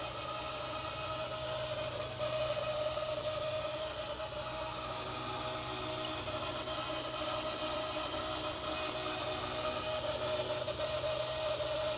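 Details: Blade 130x helicopter under a month old with under one hour of flight time: constant high thin screech over the motor hum, sporadic at first and now continuous; owner suspects a faulty main shaft bearing but doubts it given the age.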